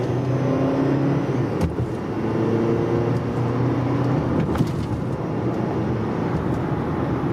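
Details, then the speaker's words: Cold turbo engine with a newly installed turbo: metallic, airy buzz and rattle over a deep rumble, because carbon buildup keeps the wastegate from fully closing so air passes through it. The noise goes away after 3–5 minutes of warm-up. "when we warm up that thing goes away guys it's done"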